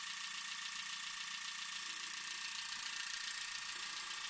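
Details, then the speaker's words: EZ EFI 2.0 fuel injection bench-tested without starting, after a no-start with FAST distributor: an RPM signal generator fires injectors at 400 rpm (29 Hz) through the MSD, giving crisp, fast, even ticking about three and a half a second with no misses; normal injector operation. "Là vous voyez les injecteurs, ils bossent. Et on entend même à l'intérieur du MSD un petit bruit."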